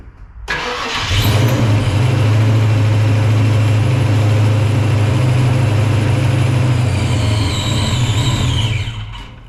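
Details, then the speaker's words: Supercharged 306 V8 in Fox-body Mustang, first start after Anderson N-51HR cam install, timing low and possibly a tooth off; fires and holds a deep, slightly lumpy rumble, then sags and dies; running poorly, cause unconfirmed. "so what we got the timing a little low so let me bump that up looks like we are good though maybe his tooth off I'm not sure so try to keep it running"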